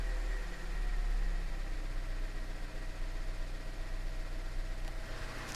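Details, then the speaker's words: Chevy Cruze 1.4 turbo just rebuilt with new piston rings and head gasket, no coolant added: idle drops from fast start-up speed to a low, smooth, even hum, no knocks or ticks; oil pressure good, smoke deemed normal. Normal warm idle. "well it died to be fair and there goes the idle down to normal"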